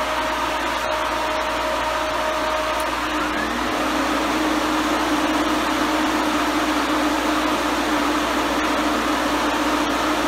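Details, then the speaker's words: Two electric radiator cooling fans, triggered via relays around 180-200 degrees, running at full blast: strong steady rush of air, even hum, no rubbing or wobble. "okay so those fans are not playing around they are pulling a huge amount of freaking hair"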